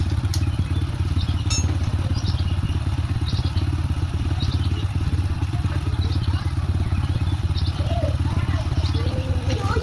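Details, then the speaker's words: Honda Supra X 125 motorcycle after repair of rough engine noise (cam chain and tensioner reassembled): low, steady thumping idle with an even beat and no knocks or rattles; smooth normal idle, unlike before repair. "Nah, ini setelah kita perbaikin ya dan mesinnya sudah halus berbeda dengan pas baru datang. Oke, bisa didengarkan suaranya sudah halus ya."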